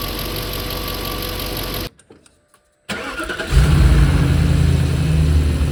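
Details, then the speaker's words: Audi A6 C5 4.2 V8 Quattro five-valve engine, cold start: fires after a pause into a rough, clattery idle as the timing chains slap; rattle typical of worn chain tensioners and failed non-return valves, cured by replacing them. "So if you have a car like this and if you're annoyed by this noise, just replace the tensioners, the chains, whatever and also the drain valve or the non-return valves and everything is good already."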